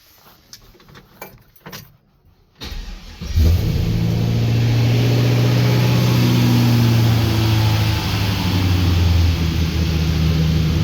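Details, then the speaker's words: 1965 Impala with cammed 5.3 LS V8 after installing 2.5-inch stainless X-pipe exhaust with welded joints and band clamps: starts, deep even note through idle and light revs, no puffing or ticking leaks; exhaust healthy. "No leaks like that."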